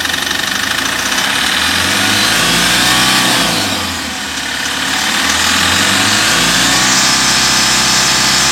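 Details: Mahindra Maxximo common-rail diesel, after finding the faulty DRV that stopped injector spray, refitting the injectors and bleeding air: catches, revs briefly, dips, then holds a steady clattering idle with no stumbling; starts and runs normally.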